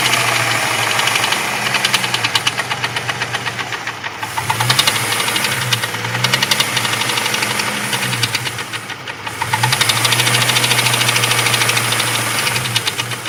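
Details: Jeep 4.0 at idle when hot: a fast, steady light knock about three per second over the low hum; cause undetermined.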